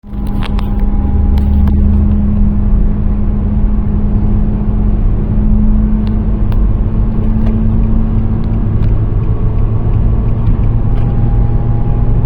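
Loud low drone under road noise while cruising, with a steady hum just above a hundred cycles; cause of the hum unclear.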